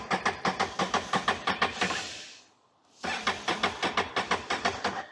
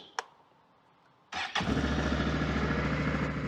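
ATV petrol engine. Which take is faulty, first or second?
first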